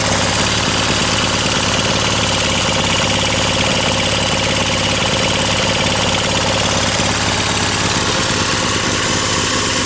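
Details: Brute Briggs and Stratton 550e pressure washer engine under pump load: loud steady run with slightly ragged burbly beat, running rich; needs a new carb main jet.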